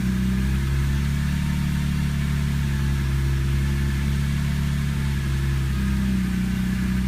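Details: Engine rough-idling for the first 90–120 seconds after start: a low, steady idle with a slightly uneven, wavering beat and no obvious knock.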